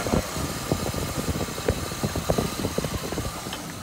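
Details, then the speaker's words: 1986 Cutlass 305 V8 at low idle after a new flywheel and correct starter: slow, lumpy idle with an even firing beat and no grinding or scraping from the starter area; sounds healthy. "well i guess that concludes it i mean it sounds healthy to me that sounds a lot better"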